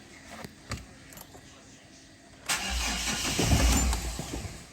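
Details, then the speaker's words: Mahindra Xylo diesel, complaint of cranking but not starting for 3-4 months, before repair: a few faint clicks, then the engine catches and runs about two seconds before dying, starting momentarily then shutting off; immobilizer cutting fuel suspected. "Start ஆகி of ஆகிடுது, வண்டி start ஆகி உடனே of ஆகிடுது."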